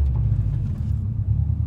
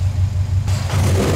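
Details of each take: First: Turbocharged car on test drive in first gear after adjusting GO FAST BITS dual port blow-off valve, building boost then stopping: low steady rumble dropping evenly to idle with no stutter or stalling; smooth, adjustment pretty close. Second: Turbocharged car, warmed up, GO FAST BITS Response dual port blow-off valve being tuned with Allen wrench after one full turn in, hard rev: revs drop toward idle with an airy hiss lingering as the valve stays open; needs another turn tighter.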